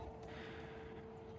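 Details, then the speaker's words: Small 12 V pump in a new NFT hydroponic system, first test run, pumping through 8 mm silicone hose: faint steady hum at fixed mid pitch, normal operation. "теперь мы производим первый тестовый запуск и так включаем смотрим насос включился работает"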